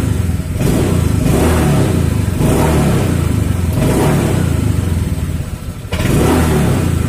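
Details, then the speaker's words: Honda Vario scooter that stalled on sudden throttle, after cleaning the dirty air filter: repeated quick throttle blips, each picking up cleanly and settling without stumbling or stalling; airflow to the throttle body now normal. "dan Dika spontan sekarang pun sudah enggak langsung mati ya teman-teman artinya aliran udara yang ke kebagian Throttle body normal ya ini"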